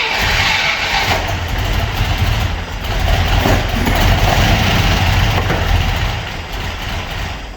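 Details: Opel Manta hatchback with Ascona front end ("Mancona"), first start after about 20 years abandoned in a garage, camera at the front; engine catches and runs uneven and lumpy with wavering speed, a little missy: misfire, cause unconfirmed, owner plans to check points and distributor.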